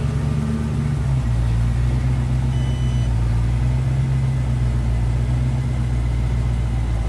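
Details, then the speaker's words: 1966 Mustang with roughly 289/295 cubic inch V8, newly fitted Aces Killshot EFI replacing FiTech, untuned and still learning; smooth steady low drone while cruising slowly, no misses, ticks or surging, running evenly. "the car's running great it fired up real smooth it's going down the road smooth"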